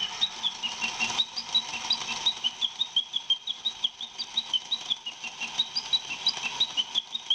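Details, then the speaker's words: Gakken cuckoo clock kit, battery-powered, cam-controlled bird sound: quick rhythmic chirping whistle, roughly three pulses a second, bright and piercing over soft mechanical patter; clock calling normally, just loud. "The biggest issue with it is that it's kind of loud. And we'll find that out in a few seconds when it decides to trigger."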